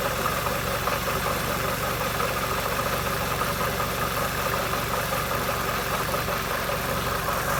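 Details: Peugeot 206 2.0 16V at idle: faint quick ticking evenly spaced with engine speed; owner asks whether it is a manifold leak, unconfirmed; ticking engine noise.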